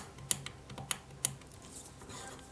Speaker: the clicking you can hear is where it's going from one of the cuts to the other and if I go in a complete circle you'll hear it cing as it goes